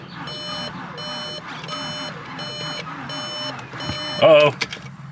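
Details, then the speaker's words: MK6 Jetta GLI, just reassembled after manifold replacement with fresh oil: repeating warning chimes, then one short crank that dies straight away with no catch; dead battery suspected. "one stop all right sounds like we have a dead battery so might have to get a better battery in here"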